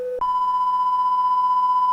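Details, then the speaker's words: Carlsbro Cobra 1100 200 W PA amp after repair of fuse-blowing fault, test tones into the microphone input: short low beep, then a clean, steady 1 kHz tone with no wavering; normal output. "It's kind of warbbled effect. I can hear it. And you can see that on the scope there. So, that channel's okay."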